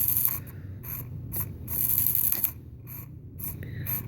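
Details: New RC car's steering servo makes short, uneven bursts of harsh ratcheting clicks over a low hum when steering to one side; the other side is fine.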